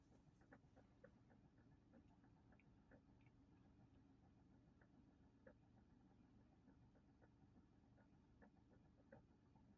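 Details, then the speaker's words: 2014 Kia Soul in park, phone on the dash: faint, fairly regular light clicks, about two or three a second, over a low steady hum from under the dashboard; cause unknown. "I'm going to set my phone on my Dash and you can hear the clicking sounds coming from it"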